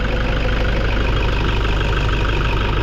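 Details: Toyota Hilux 2KD diesel after repair of failed pressure pump and injector (previously would not start): steady, even idle with low regular beat, no misses, knocks or hunting; engine idles normally.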